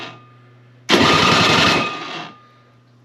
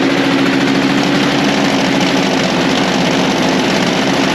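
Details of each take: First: Toro electric-start snow blower, at least 25 years old, unused about 2 years, primer bulb dry-rotted; owner also suspects it needs a spark plug. Quiet hum, then brief rough sputtering crank that dies; hard starting from dry-rotted primer bulb. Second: Toro Power Lite snow blower, over 25 years old and unused for a few years, idling smoothly after the dry-rotted primer bulb was replaced; garage heated to about 66°F with 30°F outside; even idle, no misfires or surging.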